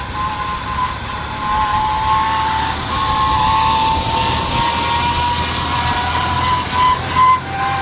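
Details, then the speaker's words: 1998 Ford Explorer, sat five years, high idle near 2,000 rpm: steady high squeal over the engine remains after belt conditioner on a possibly dry belt; owner suspects power steering pump, not confirmed. "Nope, squeal's still there. Where's it coming from? Sounds like the power steering pump, but sounds terrible."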